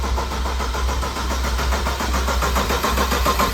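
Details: Built BMW 335xi engine, first start-up, cranked without coolant only to prime oil: even starter whirr with regular compression pulses about one a second and no firing; normal cranking.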